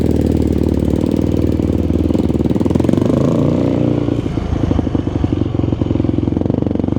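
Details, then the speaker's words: Yamaha YFZ450 single-cylinder quad after rebuild, OEM gas cap refitted over suspected vapor lock, hot 96° day: crisp even thump through light blips, settles without stumbling; runs pretty good now, though owner feels it isn't fully dialed in. "Man, it seems to run pretty good now."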